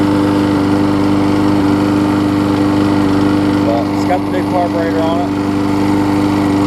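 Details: Husqvarna mower with aluminum deck and a transplanted engine, after a new gas tank, a replacement carb and a tune-up, cranked after priming. It makes a steady, even buzz at constant pitch with no misses or surging, so it runs good again.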